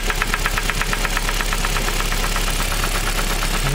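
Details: Engine knock heard at idle: heavy, regular knock about three per second, loud over the engine note, like a spun connecting rod bearing; engine then disassembled for diagnosis, where the piston was suspected.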